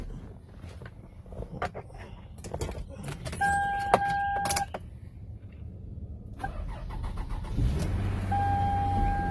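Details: Clean V6 car bought at IAAI auction, started to show how it sounds; clicks and a chime, then the engine catches cleanly and settles into a smooth steady idle, no misses or knocks.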